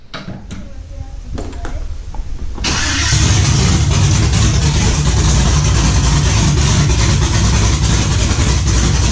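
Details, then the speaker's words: 1991 Camaro Z28 with built 5.3L LS swap, Holley Sniper EFI, MSD ignition, Texas Speed cam, open headers, first start; fires and settles into steady loping cam rumble, even firing; normal idle. "hook the wiring up the way it's supposed to be thing seems to run pretty darn good"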